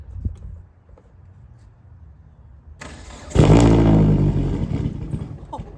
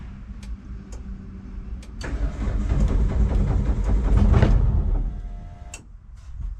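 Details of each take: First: Turbo Hyundai Sonata with straight-pipe exhaust, first start after nearly 3 years sitting, following fuel line repairs and three fuel-pump primes; one sharp backfire pop, then a smooth, even idle; normal start. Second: Hyundai Sonata turbo, not run for nearly 3 years: steady cranking about three to four beats a second, then a short rough catch that dies; it fires briefly on residual fuel in the line with the fuel pump fuse pulled.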